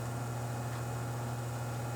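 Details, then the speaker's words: Furnace blower motor, removed from the unit, run on low speed after oiling the dried rubber seal around its shaft; steady low electric hum, no scraping or rattle: blower now running normally. "now it's on the low and it works just fine"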